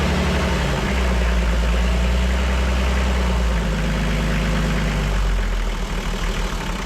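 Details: Toyota 2H diesel from HJ47 wreck, first run: deep steady idle that picks up briefly then settles, smooth low beat, no knocking; engine sounds healthy.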